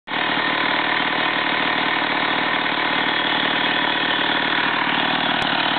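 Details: STIHL 028 AV chainsaw, over 30 years old, after a carburettor overhaul and adjustment: a steady, even, high-revving two-stroke buzz with no stumbling, surging or hunting; runs cleanly and in good condition.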